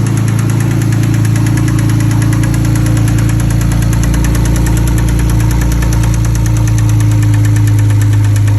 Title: BMW e90 Single Turbo 6762 Engine Knock